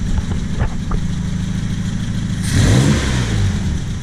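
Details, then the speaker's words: Warm 1978 Triumph Spitfire, Weber 38DGAS carb running rich, just fitted size 45 idle jets: shaky, uneven idle around 900 rpm, quick throttle blip rises and falls, then drops back to a lumpy tickover; still rough idle. "Yeah, and so idle is more like 900 RPM, and the engine is still a little shaky."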